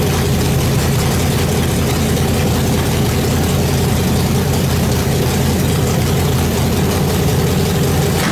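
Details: Nitrous small-block Chevy V8 in the Brooklyn Dodger build, first start after a fast build, following fuel pressure trouble (too much fuel): loud, steady, lumpy-cam idle through open pipes, holding even without stalling; it starts, runs and idles normally.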